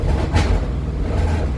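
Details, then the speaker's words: Triumph 2000 automatic in park, started on its automatic choke: it fires up fine but runs with deep, uneven, lumpy surges under throttle; the owner suspects the carburettors are at fault. "She's not running perfectly."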